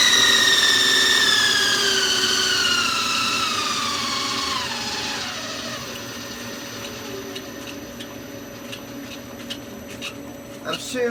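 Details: Lathe toothed cog-belt spindle drive, motor pulley on 28 mm shaft: loud high-pitched whine of stacked tones dropping as the spindle coasts down; belt whine at speed, owner considers swapping to V-belt pulleys.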